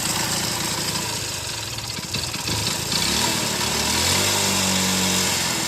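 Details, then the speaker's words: Motorcycle just started and settling to idle with a hard, rattly knock about four per second; the mechanic calls it a totally failed engine, with crank and connecting-rod noise from inside. "Total engine పోయిన బండి sound అనమాట ఇది. బండి engine పోతే మనకి ఈ విధంగా sound అయితే వస్తుంది అనమాట."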